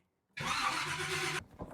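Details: 1970 Chevy Camaro SS 350 that had sat too long on old fuel, fuel pump being primed: a brief one-second crank that never fires, then silence; cranks but no start, fuel later confirmed reaching the carburetor.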